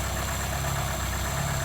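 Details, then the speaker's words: 1980s Vauxhall hot hatch barn find idling after first start, steady even low rumble with no knocks or stumbles, oil pressure near maximum; smooth, healthy idle. "How smooth and silky is that? That is mental. That is a smooth idle, my friend."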